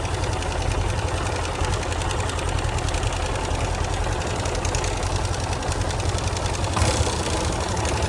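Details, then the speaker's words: Yamaha Fazer 250 single-cylinder at idle: fast light "tec" ticking from one side of the engine over a rough idle, even and persistent; a previous owner had fitted a non-original starter clutch plate, with starter clutch bearing wear. "É, esse esse problema é um barulhinho aqui na nessa parte do motor aqui, né? Um tec."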